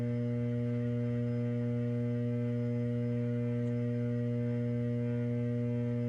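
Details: Transformer T703, Bay VT, Y phase showing more vibration than normal: a steady, loud low hum with strong overtones and no change in pitch. This is abnormal transformer sound; the cause has not been identified.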